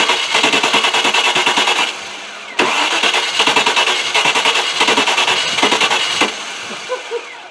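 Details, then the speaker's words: Range Rover after fuel pump replaced and pressure restored to about 35 with relief valve working: steady rhythmic starter churn about three beats a second, cutting and repeating, no firing; cranks but won't start, fuel-starved. "couldn't believe it could you so we got fuel pressure now the bloody thing won't start what is going on with this thing"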